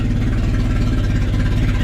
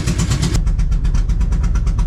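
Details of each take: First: Honda Civic wagon, second start on pump gas after work near the water pump housing, throttle very loose: low, lumpy idle pulses and wavers unevenly with no steady beat; idling rough after start. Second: Honda Civic wagon, just revived and running on pump gas: steady low rumbling idle with an uneven, slightly loping beat around three pulses a second. Rough idle, still needs tuning.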